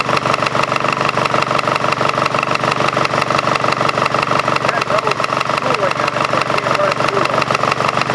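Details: Craftsman GT5000 lawn tractor twin running without fan housing or cooling: loud, harsh idle with fast, uneven thumping pulse and rattly buzz; running rough, one coil suspected not firing, cause not pinned down.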